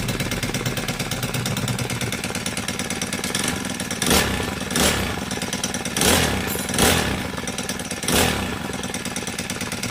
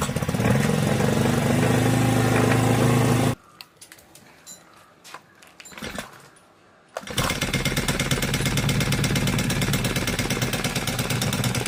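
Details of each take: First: Honda GX35 brush cutter after a valve tappet clearance adjustment and clutch replacement to cure a metallic ticking: the small four-stroke buzzes along steadily with short throttle blips and no valve tapping; it runs healthy. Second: Honda GX35 brush cutter: light sewing-machine-like metallic ticking about three per second over the engine buzz; valve tappet clearance most likely out of spec.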